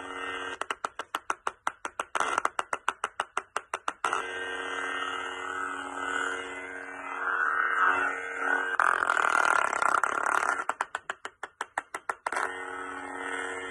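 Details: Lightsaber soundboard reading a bad or corrupted SD card: rapid stuttering clicks about three a second break into garbled hum and then stutter again. Glitching soundboard audio from the corrupted SD card.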